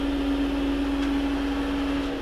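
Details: Planar 2D diesel air heater newly installed in a VW Crafter camper van, running: steady, even fan hum at one constant pitch with no surging or rattles; heater running normally.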